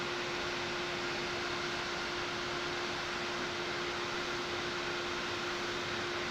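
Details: Silverstone XED120S CPU air cooler on a Ryzen 9 9950X3D in an FLP02 retro tower: loud steady fan rush with a fixed mid-pitched hum, running flat out under load.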